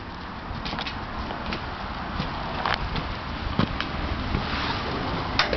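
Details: 383 small block Chevy V8 with about 1,200-1,500 km since build, running: rough, breathy rumble with sharp irregular top-end ticks; also heavy blow-by and oil consumption, owner suspects rings not seated and expects it will likely need a teardown.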